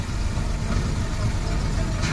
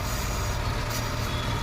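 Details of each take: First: Maruti Omni, intake vacuum pipe cracked/split and removed for demonstration: heavy, uneven shaking idle that lumps and wavers, engine vibrating hard; smooths out once pipe reconnected; on a gas kit it vibrates rather than revving up; rough idle from vacuum leak. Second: Maruti Omni idling steady and even with no surging after a pipe is refitted; unplugging it had made revs rise on their own. Normal idle restored.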